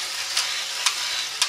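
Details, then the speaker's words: Radio Shack DustBot toy robot running; sharp clicks about every half second over a soft hiss while it only goes in circles, something in the drive slipping or skipping, not working right. "It makes a clicking noise and just kind of doesn't work quite right. I don't think that's right. Otherwise it just goes in circles. And you can hear this clicking."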